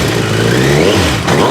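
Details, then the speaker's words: Suzuki Bandit 1250 FA with 62,000 miles and a repaired Holeshot slip-on exhaust, stage one tune (snorkel removed, secondaries still in), fresh oil: four-cylinder revs cleanly and smoothly, deep even exhaust note, no clicks or clatter; healthy engine. "Keep in mind this bike has 62,000 miles on it. Listen to that idle. Not one click, not one clatter or nothing."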